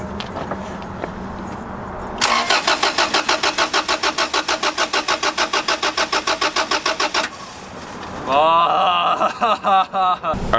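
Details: Honda Civic that died in a store parking lot and won't start; fuel pump found not priming. The starter cranks steadily at about three pulses a second for five seconds with no firing or catching, so it is a crank, no-start.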